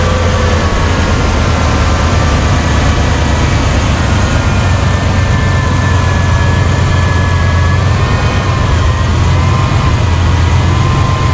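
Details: Chevy Silverado K1500 petrol V8 idling with smooth, even low rumble and no knocks or grinding after a 140 amp alternator upgrade; old alternator's bearings are starting to go.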